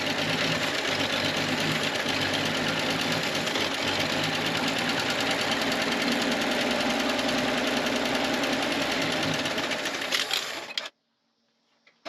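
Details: 1967 GMC truck, first start after sitting 45 years, helped with ether: light, steady ticking at about three and a half per second over a busy idle, with a little smoke; likely lifters still pumping up.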